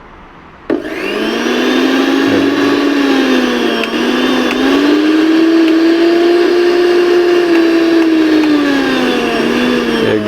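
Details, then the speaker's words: Mixer grinder after repair of its loud noise problem, run on a series board to check: it now runs smoothly with a steady high whir, pitch drifting slightly with load, and no longer makes the earlier harsh noise. "यह देखो दोस्तों एकदम smooth चल रहा है देख सकते आप पहले कैसा आवाज आ रहा था अभी कैसा आवाज आ रहा है एकदम स्मूथ आवाज आ रहा है दोस्तों"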